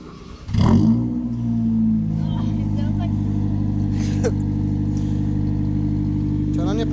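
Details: Car "Georgette" after replacing a holed exhaust with a straight pipe from an old Civic: engine catches quickly and settles into a smooth, even idle with a steady low drone and no puffing or ticking from leaks.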